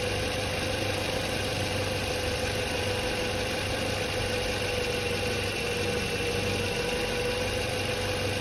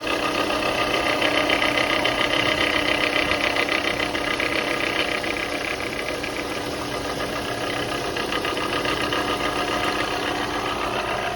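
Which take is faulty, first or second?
second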